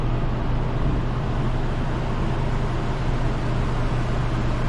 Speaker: We'll go up top and see if we can hear the compressor running. Yeah, you can hear it running.